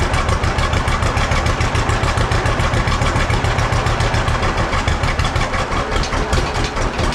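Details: John Deere B tractor, first start attempt after checking the carburetor float and needle valve: the old twin pops into life and settles into a steady, even, slow chuff with no stumbling, running cleanly.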